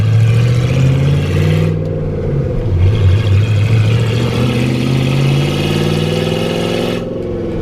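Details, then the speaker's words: Ford Ranger with freshly rebuilt V8 on first drive, breaking in rings; oil pressure good, temp gauge reading about 230 (accuracy doubted); smooth steady low rumble rising and easing with throttle, no knocks or ticks; healthy. "but it seems to be running pretty good and strong oil pressure is good temps not getting too high"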